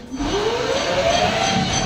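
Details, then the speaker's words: Chinese 3000 W electric motor and controller newly wired into a Jeep UTV conversion, tested with wheels spinning: clean electric whine climbing smoothly in pitch from middle to top speed setting, no roughness; motor responding normally. "and then we'll go to the top okay speed switch is working"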